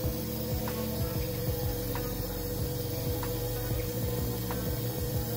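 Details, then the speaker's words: Healthy fuel pump bench-tested at home with power applied, heard as a steady high electric hum with a fast, even ratcheting tick; pump running normally. "so as soon as you apply the potential the filled one should be running and you should hear a noise like this okay so let me pump is running as you can see"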